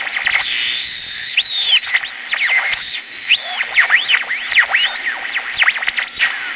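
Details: Early-1960s Bulova pocket transistor radio, powered directly: thin, tinny station audio with squealing whistles sweeping in pitch; oscillation across the dial, old electrolytic capacitors suspected.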